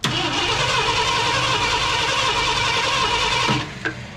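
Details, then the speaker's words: 1972 Ford F250 Ranger XLT Camper Special cranking on its mechanical fuel pump after priming both ways: steady starter spin about three and a half seconds without catching; no fuel reaching engine, crank no start. "all right guys well i've prime primed it both ways no matter what i do here we're not getting any fuel"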